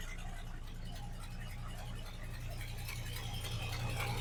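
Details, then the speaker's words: V8 truck idling just after start-up: a deep steady rumble with a faint puffing tick from a driver-side exhaust leak that hasn't been fixed yet. "all right I think you can hear that exhaust leak on this driver side over here drives me nuts I just hadn't had a chance to fix it yet"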